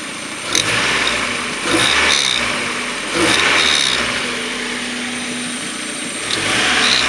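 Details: 1994 Mazda Miata M Edition, 130,000 miles, leaks oil at rear main seal: faint whirring/rotating noise each time revs drop after blipping, seeming to come from rear intake side of head; owner first suspected the CAS but now doubts it; cause unknown.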